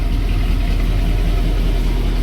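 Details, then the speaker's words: W204 Mercedes C63 AMG with M156 V8, started just after new spark plugs, air and cabin filters, blower motor and battery: deep, even V8 burble at idle with no misfire or ticking, a normal healthy idle. "Start her up. Start the car. Oh yeah. She runs. She runs. She got new plugs."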